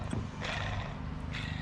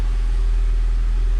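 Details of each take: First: 2004 Honda Civic EM2 D17 water pump, removed after leaking, rusted and spun by hand: gritty, rasping bursts from loud, worn bearings. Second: 2004 Honda Civic EM2 D17, first start after water pump and timing belt replacement, coolant still to be bled: low even rumble at steady idle, no knocks, misses or whine; runs smoothly.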